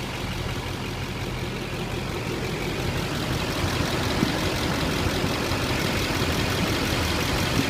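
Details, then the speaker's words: 2006 Chevy Silverado LBZ diesel 4x4 with 105,253 miles and new batteries, heard under the open hood: steady, even diesel clatter at idle, no puffing, no blow-by, healthy. "Blow by at all very boring I like boring"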